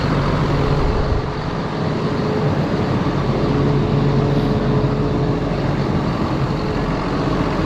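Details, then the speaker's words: John Deere 7830 tractor diesel after replacing a seized VGT turbo actuator that caused derating: steady even rumble at constant speed, no knocks, surges or hunting; judged fixed. "all right i think we can safely probably say we got that fixed"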